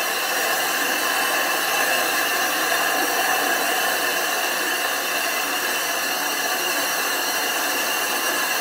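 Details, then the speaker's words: Grinding the back of a 25-inch F3 telescope mirror blank, thinned from 2 in to about 1.6–1.75 in, abrasive grit on glass: steady, even hissing howl with no knocks or catches; normal grinding howl showing grit cutting properly. "and you want to hear that howling grinding sound if it's not howling it's not grinding"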